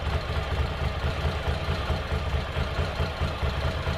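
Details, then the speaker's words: Ducati Monster 800, revived after four years dormant with new fuel pump and battery, injectors flushed: after running on one cylinder, second cylinder kicks in, deep even V-twin idle thump with regular beat, no stumble; normal idle. "And it sounds a lot better. And it looks like it's supposed to."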